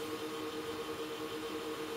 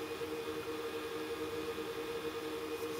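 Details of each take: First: Supermicro X9DRH server in X-Case RM 200 Pro with 80 mm temperature-controlled fans, loading an OS: soft steady airflow hiss and even hum, no rattle or surging, noise mostly from CPU coolers; normal. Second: Supermicro X9DRH server in X-Case RM 200 Pro, 80 mm fans controlled by processor temperature: steady whirring hum lifting at the end as the processor warms; fans ramping up normally.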